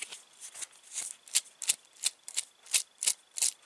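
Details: Old clutch-area bearing from a VW Polo, removed during a home clutch replacement and spun by hand: gritty, dry rasping bursts about once a second instead of a smooth spin. The bearing sounds rough and is replaced.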